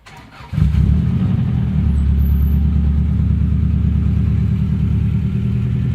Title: Subaru ej20k engine knock